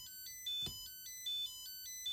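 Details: Nickel strip spot welder gives bright repeating error beeps, about two bursts per second. Its battery reads 2.7 V rather than 3.3 V; the owner suspects an error state wanting a charge, unconfirmed.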